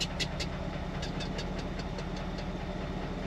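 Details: 1966 Ford F100 with a 1971 302 V8 after harmonic balancer replacement: idle at a stop with a loose, irregular clack about twice a second from the lower end, worse at low rpm; flex plate bolts suspected, unconfirmed.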